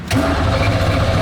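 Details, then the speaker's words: Abandoned Chevrolet Camaro Z28 1LE race car cranks steadily without firing; about 60 psi oil pressure shown but no fuel pressure. "we go oh dude that is like almost 60 psi of oil pressure we have no fuel pressure though that's that might be a problem"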